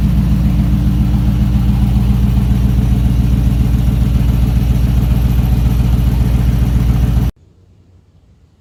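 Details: 1968 Ford Bronco V8 idling after the engine was oiled: an even burble with a steady lope and no knocks or misses. The engine is running normally for the first time.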